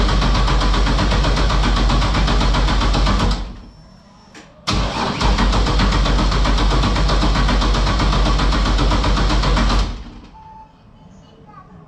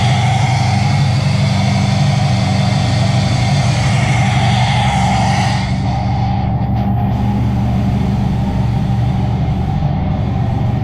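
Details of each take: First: LS-swapped Toyota GT86, 5.3 V8 with ported heads, after a fire shorted a wire to the ECU: even starter churning about four beats a second but never fires; MAP sensor was found unplugged, and once plugged in it started immediately. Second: LS-swapped Toyota GT86, 5.3 V8 with ported heads, warming up after MAP sensor was reconnected: steady even low burble idle, no knocks or misses; owner suspects it runs rich, perhaps from wrong or miswired O2 sensors.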